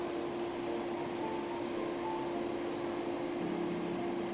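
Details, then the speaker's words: 2008 Infiniti G37 radiator fan: loud steady rush of air with fixed hum, fan stuck at full speed because the radiator fan control module failed and runs in safe mode; fix is replacing it with an OEM module. "and you hear your cooling fan running on maximum speed or full speed then your radiator fan controller is busted"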